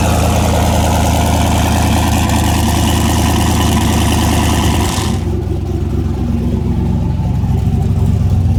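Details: Mustang race car just after a new head gasket, first start following fuel-system priming; loud, steady, deep idle with even low drone, no knocks or misses; normal idle.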